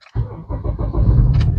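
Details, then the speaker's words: 2007 Honda CR-V with P0304 misfire and stalling, after earlier AC work and engine module swaps, AC off: a hard start, then a rough, uneven rumble; check engine light on, running lean, vacuum 19 inHg, charging 13.4 V. "all right so I got a hard start okay I'm seeing right now check engine light is on"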